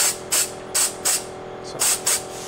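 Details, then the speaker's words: Pivotal Edge 104411 vacuum valve for a seal cover: loosening the air-line fitting lets air leak, so short sharp hisses repeat about every third of a second as the valve keeps cycling. A cause could be a bad connection or seal damage. "I'll disconnect it here a little bit you here it's starting to cycle so it could be the connection issue or there can be damage to the"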